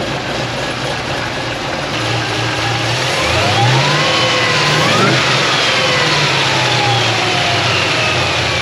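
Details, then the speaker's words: Supercharged LSA V8 drift car on E85, before dyno run: strong even rev climbing and easing back with crisp exhaust note, no misfire or stumble; running very well. "Man, she's running so good."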